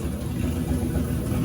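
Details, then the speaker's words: Turbo LS 5.3 V8 swapped into a Dodge Grand Caravan, first fire, tune from a different engine, about half a gallon of fuel; deep, steady rumble, turbo howls, no misses or knocks, oil pressure confirmed: normal running. "Listen to that thing. That turbo absolutely howls. I love it. A van should not sound like this."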